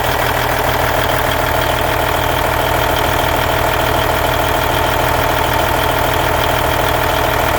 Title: Cummins N14 Engine Sound Noise at Idle 1999 Volvo VNL 610